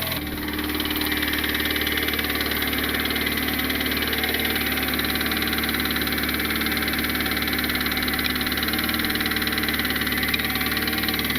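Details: Turbo Honda Civic R18 engine after blow-up, valve lash checked: steady idle with light regular knock about three to four per second; source not pinned down.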